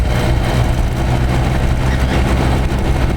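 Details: Vintage Montgomery Ward 25-pint dehumidifier made by Norge, circa 1969-70, running on high. An even fan rush sits over a low, steady compressor hum with no knocks or rattles. The coil may frost for 20-30 minutes before defrosting. Normal operation.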